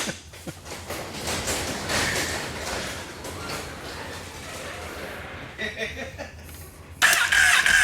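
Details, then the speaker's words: 2008 Honda CBR1000RR streetfighter at first start after an engine rebuild, with new exhaust fitted and fluids filled: a rough, uneven idle with clattering knocks and loud exhaust bursts. It is knocking inside; cause unknown. "that doesn't sound good that sounds very bad [Music] nope something's definitely wrong in there me it does them on idle it does want to accept throttle and it's nokinaki"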